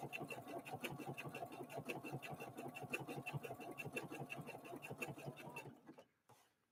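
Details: Husqvarna Viking Opal 650 sewing machine (Swedish design, Chinese made) sewing block-letter alphabet lettering; quick even stitching about three stitches a second, firm and quiet, not clanky or plasticky, no rattle before stopping: normal running.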